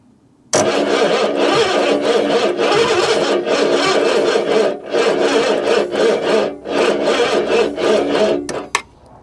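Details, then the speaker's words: 1966 Ford Zodiac Mark III, abandoned for decades, cold, with starting spray in the intake and a replacement starter fitted: slow, labored cranking about three beats a second, never catching. It sounds like the old starter, so the owner suspects the battery. "that starter sounds just like the old one oh which probably means that it's actually the battery that I'm using"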